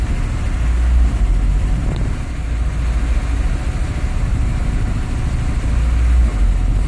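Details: Nissan 240SX with KA24E engine idling rough: deep idle surging and sagging every few seconds, uneven lumpy thrum with no steady beat; cause unknown.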